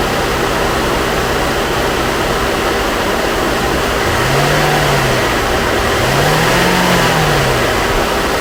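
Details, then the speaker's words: 2013 Chevy Equinox salvage rebuild, first start after battery post issue: engine catches and settles into a smooth, even idle with light revs, no knocks or misses; sounds healthy. "Guys, she sounds good. She sounds good."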